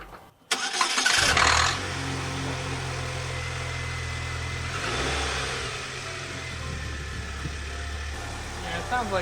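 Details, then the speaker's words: 2008 Pontiac Solstice after head gasket replacement, first start: short crank in clear-flood mode, catches quickly, settles into steady quiet idle with no knocking, though an odd clicking was noted; smoked for a while burning off coolant; normal idle. "pretty quiet don't hear any engine noise although that weird clicking noise was kind of odd"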